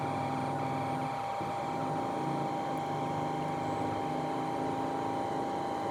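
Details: New Shimizu PL-122 BIT shallow-well water pump, copper-wound motor, first run after priming and filling: even, constant motor whine with a soft low hum, no knocks or rattles; running smoothly and quietly.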